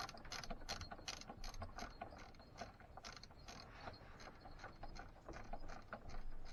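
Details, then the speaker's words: 2006 Keeway F-ACT 50 scooter, confirmed spark: turns over with quick uneven clicking and no firing; no start from fuel starvation, debris from the tank has contaminated the carburetor, which now needs cleaning. "so again nothing oh no that's not good that does not look good at all it smells nasty all that crap that was up inside that tank is now in that carb so now i have to clean that carb that sucks"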